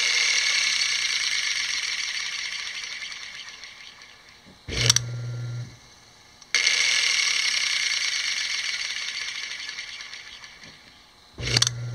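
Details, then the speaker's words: Piano motor reassembled after removing and refitting the armature: starts instantly with a smooth, even whir, winds down steadily when cut, then restarts cleanly; normal running. "now we have the motor reassembled got power to it and we're going to plug it in and see what we have instant start and again"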